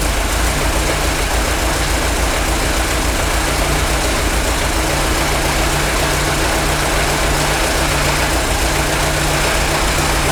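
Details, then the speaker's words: Worn-out Ford Model T engine on a PTO power unit, run briefly with no coolant while warming up: busy, slightly uneven thrashing clatter over a low steady beat; mixture adjustment smooths it somewhat but the tired motor stays a little noisy. "once it warms up a little bit I adjust the mixture it Smooths out pretty good it doesn't ever like purr like a kitten but we knew this motor was pretty wore out and it does run it's a little noisy"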